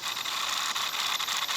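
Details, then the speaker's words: MJX H12Y RC car, sensorless brushless motor at max power setting, gentle throttle, lights unplugged: hissy stuttering whir with uneven jerks, motor cogging instead of spinning up smoothly. "Vous entendez? Le cooking? Voilà, c'est ce qui n'est pas bon."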